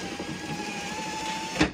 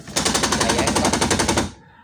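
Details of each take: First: Car power window that previously made a croaking, gear-skipping sound when raised, after repair of the slipping motor gear: steady even motor whir, then a clean stop with a soft thud at the end stop; working normally. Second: Car power window, when raised to the top, makes fast even clacking about ten per second then stops: window regulator gear skipping at top of travel.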